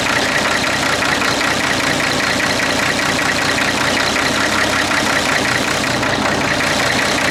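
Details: Clark Michigan diesel front end loader, started cold: clattering fast idle with an uneven, lumpy beat, rough running while cool with a possible miss.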